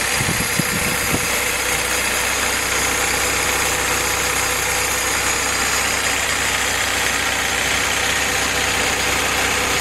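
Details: Willys CJ2A L-head 134 four-cylinder on test stand with T90 transmission, Dana 18 transfer case and overdrive, new Joe's Motor Pool carburetor, warming up; even steady idle, no knocks or misses; healthy.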